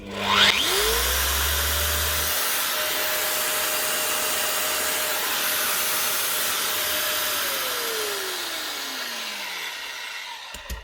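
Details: Metabo MFE40 twin-blade wall chaser after tightening up loose play, test run: motor spins up to a clean steady whine with no rumble or grinding, then coasts down smoothly. Normal running.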